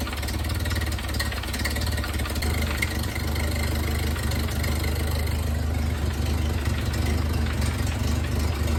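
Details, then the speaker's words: 1931 Ford Model A four-cylinder, long stored in a barn, idling after points and timing set with a modern distributor cap; low loping idle, uneven beats about three per second, slight stumble; rough idle, owner thinks timing needs advancing; bubbles seen blowing past a spark plug. "it's all pretty good so I'm thinking I need to advance it"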